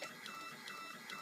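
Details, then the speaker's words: Duplex chemical feed panel, pump 1 in automatic mode following a spun flow meter: crisp evenly spaced ticking strokes about two to three per second, slowing to zero as the flow meter slows; normal metering pump operation. "And then slow it down, and the pump slows right down. Down to 0."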